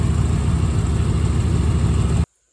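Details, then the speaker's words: 1987 Corvette C4 after water pump replacement for overheating and a noisy failed pump: deep, smooth, even rumble with a rev, no knocks, ticks or squeals, staying cool; normal idle. "All right, she's running good. Give her a little rev. Running really nice. Staying nice and cool."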